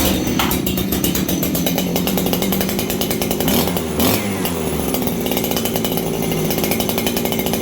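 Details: Farmertec 288 kit chainsaw, high jet set just under 1 1/4 turns, low jet at 1 turn: a high-revving buzz that bobbles and dips mid-run, then recovers. Slightly lean; cause unclear.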